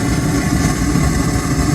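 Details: 2016 Hyundai Azera V6; lumpy uneven idle with irregular dips in exhaust beat. Launch scanner reports misfire on cylinders 2 and 4 and random misfire; cause worn spark plugs.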